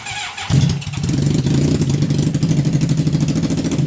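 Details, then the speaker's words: 1980 Honda CB750F barn find on a service stand, started to test a new clutch cable and the transmission: cranks, catches after half a second, then settles to a pulsing, slightly uneven idle because the carburetor still has issues. "now this Oak carb still has its issues guys have much I can do about it right now"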